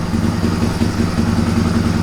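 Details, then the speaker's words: 1997 Suzuki DR350 single-cylinder with choke off, previously idling unsteadily and backfiring: low, even slow thumping idle with no stumbling or hunting; normal idle. "I don't think it has ever idled this long and at such low speed that's a nice idle you think that sounds good it just seems so low so slow"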